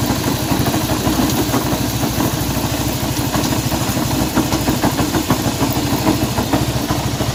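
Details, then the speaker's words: Honda CB190R at steady idle with a fast ticking clatter riding over the firing beat, about three per second; unusual engine noise, cause unclear. "Bien, aquí tenemos una CB190R y el problema que tenemos acá es un ruido extraño que tiene esta moto."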